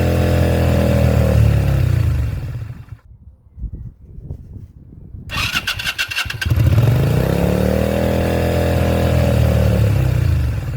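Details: 2001 Yamaha XVS125 Drag Star, unstarted for 3 years, new battery, oil checked: starter spins steadily in even turns but never catches; suspected stale fuel or dirty carburetor, to clean carb and check float needles.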